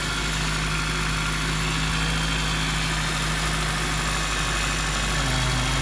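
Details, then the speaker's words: 2000 Toyota Celica GTS auction car at idle: steady low whine holding pitch over an otherwise even idle; owner suspects power steering pump or rack, source unconfirmed. "so there's the engine running it sounds like it's running fine that whining sound put it back"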